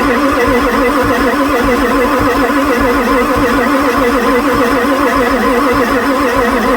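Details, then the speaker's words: 1994 Ford F-450 7.3 diesel, pre-OBD2, towed in and sat for months, weak batteries with booster: loud steady cranking, injectors audibly starting to fire, oil pressure reaching 0.7, but it never starts: crank no start. "I heard the injector start to fire the oil pressure came up to 0.7 my battery's getting lower you can hear the injectors firing"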